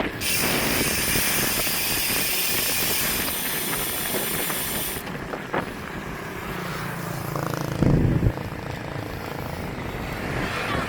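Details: Brand-new Twitter R5 road bike: light, fairly quick clicking about four times a second while riding, under heavy wind noise; cause unknown.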